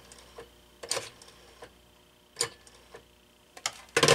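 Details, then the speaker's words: Stromberg 500 rotary desk phone, initial checkout: sharp clicks in short separate clusters as dial is worked, digit 1 won't register though hook-switch tapping does. "Yeah, 1 is not working. If I do the hook switch here, it takes it. But if I dial a 1, it sounds like it's working, but it's not."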